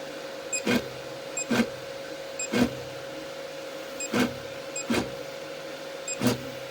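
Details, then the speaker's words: Artillery X3 Plus 3D printer, Z-axis not moving after height problems, moves freely by hand, no mechanical blockage: repeating buzzy clicks about every second over a faint hum; faulty stepper motor driver on the main board. "My Artillery X3 Plus started having unusual Zed height problems, then not moving Z-axis at all and making this weird noise."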